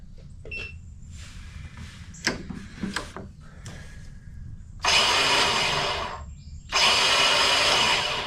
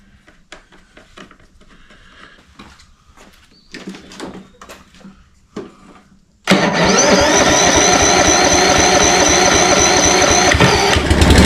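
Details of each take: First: Toro Personal Pace 22-inch self-propel electric-start mower: two bursts of high, steady whirring with no engine turning; battery drops to 9 volts, starter drive not kicking in, suspected clogged with grass and dirt. Starter spins but does not engage. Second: Toro Personal Pace 22-inch self-propel electric-start mower after new fuse holder, new battery and cleaning a dirt-clogged starter drive; quiet clicks, then catches into a steady even drone, no misses or knocking; normal running.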